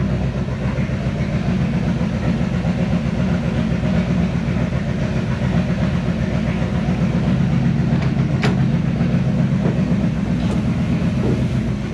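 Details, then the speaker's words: 1970 Chevy C10 pickup, 327 small block, HEI distributor, hard starting: loud, lumpy, smelly V8 idle with an uneven, shaking beat and no steady rhythm; ignition timing is off. "it off for the love of God D stinky and noisy runs like [Music] [Music] crap"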